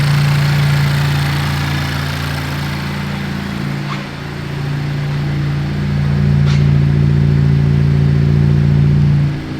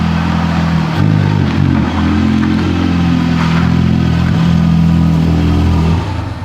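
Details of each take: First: 2019 Honda Civic Type R rebuild: idle after reconnecting the unplugged vacuum hose from intake manifold to valve cover; steady low hum with a brief dip and recovery, smooth and healthy; runs properly. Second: Wrecked 2019 Honda Civic Type R running poorly: an uneven, surging engine note that stumbles as it revs. It is identified as an air leak on the intake manifold, matching the sound another car made with a cracked intake manifold.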